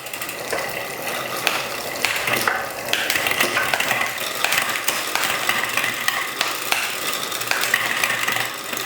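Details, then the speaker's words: Custom-built Rourke bicycle on stand: chain whirring with irregular clicks and rattles, downshifts fine but upshifts dawdle in middle and top; indexing needs adjusting, B-position problem suspected. "Going down it's okay, going up right, it's dawdling. Yeah, there's a bit of a dawdle going on there."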